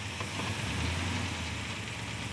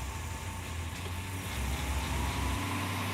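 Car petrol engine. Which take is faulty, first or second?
first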